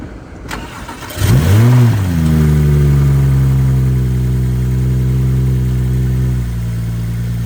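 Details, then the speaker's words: BMW 135i N55 that began loud ticking after a drive, started after sitting: catches, revs, settles to a rough fast idle; machine shop suspects rod knock from the sound. "so we had called the homie from the machine shop and asked him what he thought about the sound and he said it could be rod knock"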